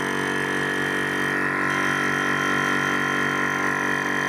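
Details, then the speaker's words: VEVOR high-pressure compressor with water cooling pump, pumping for about half an hour, temperature gauge reaching 40 °C. Loud, steady, even pumping drone with no knocks or rattles; normal compressor run. "I don't think you could call it quiet exactly but we left it to pump while we had a cup of tea"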